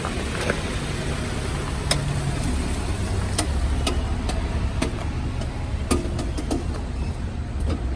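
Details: Lifted Jeep JK reversing in four-wheel drive with window down: sharp irregular clicks about every half second over a low idle from the front driveshaft CV joint with a broken boot; silent in two-wheel drive, worse in turns.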